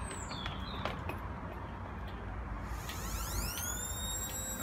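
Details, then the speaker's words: Hoover OPH616 washing machine after drum was buckled and holed in a stacking smash test; whine climbs quickly in pitch with almost no load, motor spinning free; suspected belt come off, no drum drive. "it sounds like the belt's come off."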